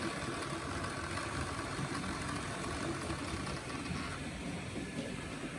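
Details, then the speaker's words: Gützold model train locomotive on first test from eBay, powered by H&M Duet on low resistance: rough busy buzzing rattle, no clean hum; runs noisily, possibly gears or needs oil; unconfirmed. "Oh. Well, it certainly works. Sounds like an old lemur."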